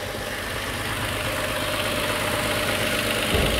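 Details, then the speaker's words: 2022 Toyota Avalon with a random misfire, started at about 1,000 rpm after the intake was refitted: shaky, lumpy idle with strong vibration as the misfire moves to cylinder one; traced to faulty fuel injectors. "So spire agad vibration agad vibration Pero dito wala pa wala pang sa deta niya grapic niya Wala pa pero may misfire malakas"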